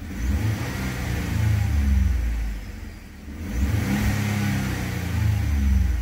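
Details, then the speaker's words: Ford F-150 with a check engine light, earlier cylinder 6 misfire and an O2 sensor low-voltage code, revved in park after reassembly: smooth free revs limited to 4000 rpm in neutral or park, no stumble or skip; no misfire. "notice that when you're in neutral or Parga doesn't go past 4000 rpm all right this sounds really good"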